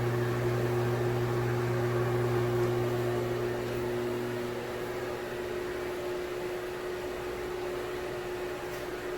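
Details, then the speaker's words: Broan Heat-a-Vent bathroom exhaust fan (70 CFM, 4 sones, no light; heater not working), with impeller and shaded-pole motor: steady mains buzz with a fixed hum tone and soft airflow, no rattle or scrape. Normal running. "It's kind of a buzzy fan. It's got the impeller and the shaded pole motor."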